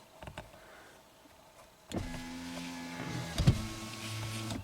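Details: 2017 Subaru Outback power window after reinitialization procedure, still not fixed: motor hums up, catches with a clunk and reverses back down; a sticky spot in the track trips the anti-pinch, down works.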